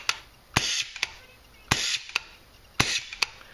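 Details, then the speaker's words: CCM pump paintball marker with too little input pressure and too much spring pressure: each sharp shot is followed by a brief hissing vent, a bad leak down the barrel. "if you have a terrible case of of of what we call leak down the barrel you know that's what it's going to sound like and that is awful"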